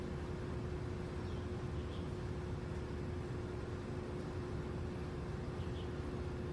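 Constant low rumble with a steady mid-pitched hum running throughout; the outdoor unit sounds off, but the cause is unclear.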